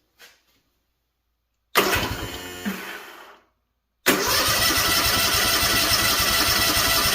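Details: Freshly rebuilt Kawasaki FR730V in a Cub Cadet SX60, cranked with fuel shut off and choke off to build oil pressure; steady fast cranking about three and a half turns a second, no firing, no knocks. Normal cranking.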